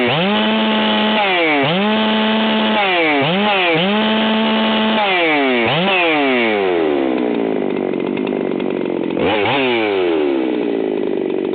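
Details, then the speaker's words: Stihl 661 standard chainsaw with adjustable carburetor, unlimited coil and flywheel swapped in, timing being tuned: repeated high revs with burbling uneven note off the cut; still grossly rich, four-stroking. "okay so we got to that still grossly blubbering Ritchie's you can hear audibly but that's good enough for me"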